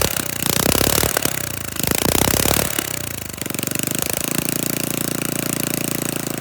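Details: Flathead Briggs & Stratton minibike engine, first run after rebuild, hot 103°F day, throttle held open: sharp rapid popping exhaust beats rising with throttle, then an even fast chatter; runs normally, very loud with no muffler.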